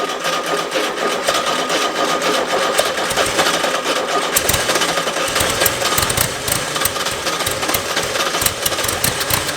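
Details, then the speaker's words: Rebuilt VW Type 3 engine, first start with fresh oil: busy fast air-cooled clatter held at raised idle that never settles, caused by a big vacuum leak from an uncapped port at the back of the carburetor. "I forgot the back of the carburetor the uh that's just open air leaves that's why it was revving high oh big vacuum"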